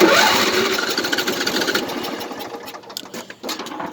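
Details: Craftsman LT1000 lawn tractor small engine cranking with uneven chugging about three to four pulses a second, fading without a clean run; hard starting, started once after being pulled inside.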